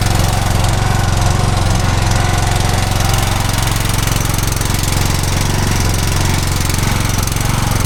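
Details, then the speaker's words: Lawn mower that had been sitting a while and was propped on one side. It was a bit hard to start, likely because the fuel had run back, but once running it has a steady, even low thump of about 2.5 beats per second with no misses or knocks. It seems fine. "I had her kind of propped up to one side too, but when she did start then and eventually got her fuel, she seemed to be fine."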